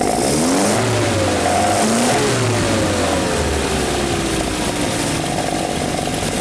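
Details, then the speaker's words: Carbureted 2-litre engine, just started, on carburetors set up for this motor after the previous oversized carbs never ran right. Engine blips up cleanly, then drops smoothly back to an even idle without hanging or stumbling; normal throttle response. "it settles right back into the RPM right like it should the end of the day this is what it should sound like it's a normal 2 L with really well set up carburetors just for this motor this is way it should be"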